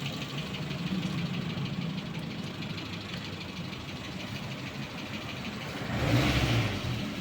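Light, fast ticking rides over the engine note as it's revved, roughly three a second; a top-end tick, cause not yet pinned down.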